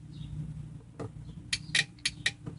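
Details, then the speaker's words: 2012 Polaris RZR 570, new relay wired to power an added fuse panel for a Totron LED light bar: quiet background, then a few sharp metallic clicks as power is applied and the relay pulls in normally. "you should hear a click when I hit the power on this thing so that's that relay"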